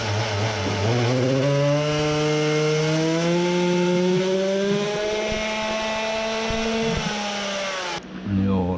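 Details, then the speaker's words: Samurai 40cc two-stroke on dyno running 98 main jet (up from 92), kart oil mix: climbs, falters near top; bogs without choke, slightly worse than before, owner wonders if it needs over a 100 jet. "so the 98 jet was slightly worse, it's the blue one still needs the choke it bogs without it quite strange, does it require over a 100 mainjet now?"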